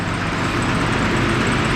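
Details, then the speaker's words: Nissan Skyline R31 TI petrol six after exhaust leak repair: steady, smooth, even low idle hum with no exhaust puffing, only a faint typical lifter tick; normal idle. "it does have a little bit of like light like low liti but oh it's running so smooth a that's better that's what we want that's so much better"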